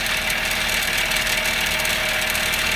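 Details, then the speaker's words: 2000 Honda Civic idling, with a fast tinny buzzing rattle from a loose, vibrating nut on an exhaust heat shield under the car; the planned fix is a gear clamp; exhaust heat shield rattle. "so this nut here is [Applause] vibrating so this heat shield is"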